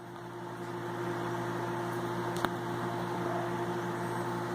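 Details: Garen gate motor with a G2 control board: a steady low electric hum with one brief click as it runs smoothly and normally. The earlier fault, running about 3 seconds then stopping, was traced to the board's MOC3023 chip.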